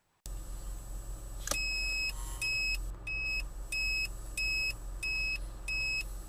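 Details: Turn Alarm turn-signal amplifier module installed in place of the flasher unit; loud high-pitched beeps about every half second over a faint engine idle. Turn signal alarm beeping properly.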